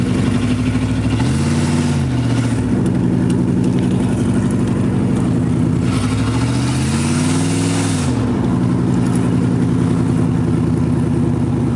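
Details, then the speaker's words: 1986 Chevrolet Camaro IROC-Z, exhaust pipe broken where the Y-pipe forks: loud, raw, blatting exhaust note swelling with each throttle blip; exhaust leak at the broken Y-pipe, to be welded. "well that was my broken exhaust pipe on my 1986 Camaro um well I guess we'll be fixing that tonight because I'll be uh sure to get pulled over if I drove that thing around much longer"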